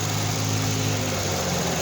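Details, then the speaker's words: Nissan Altima 2.5L naturally aspirated four-cylinder, oil changed every 5,000–8,000 miles, idling: faint light ticking over steady idle; mild valve clatter, normal for these engines. "as you can hear you're getting a little bit of valve clatter but that's normal all of them do that"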